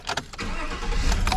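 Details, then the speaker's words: GMC Sierra 1500 after starter replacement: quick crank catches almost at once and settles into a steady, even low rumble; clean start, no check engine light. "There we go. Looking good. No check engine light. No weird lights on the dash."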